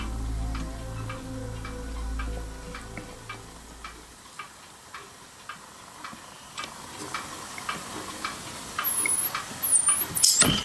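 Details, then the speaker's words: Ducretet Thomson record player amplifier with original ECL86 tube, no speaker connected: faint hum fades, then sharp dry ticks at uneven intervals, about one or two a second; cause unknown; ticking noise. "Malheureusement là, il y a toujours ce bruit suspect là."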